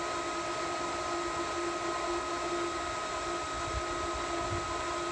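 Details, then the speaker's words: Variable-speed pool pump priming at highest rpm, slowing once it finds water. Steady high-speed whir, constant tone and airy hiss, no knocks or grinding; normal. "i think when it starts to prime it goes to its highest rpm okay and then once it finds water it turns itself down"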